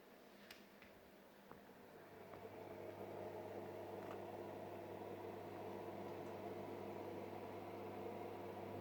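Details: Fluval FX6 canister filter after installing foam underneath to eliminate vibration: only a low quiet steady motor hum, no rattle or buzz; running smoothly.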